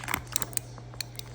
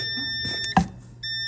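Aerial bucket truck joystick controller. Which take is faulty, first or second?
second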